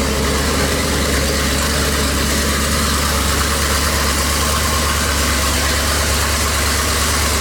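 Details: Small-block Chevy 350 in a rat rod after installing a new turbo cam, freshly broken in: steady, even V8 idle with a crisp, regular exhaust beat and no knocks or misses; sounds crisper than stock, normal idle.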